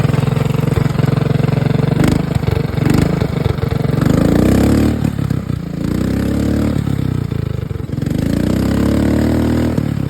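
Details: Mud mower with a small single-cylinder engine: it fires up, blips the throttle a few times, then settles into a steady, even idle; normal start and idle.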